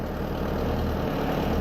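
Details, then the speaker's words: Stump grinder with newly installed motor, temporarily rigged wiring: engine idles steadily and evenly with no misses, but cutter head won't swing left or right; owner suspects a bad safety switch under the door. "So when I crank it, she runs great. But when I go to I can't move it left or right."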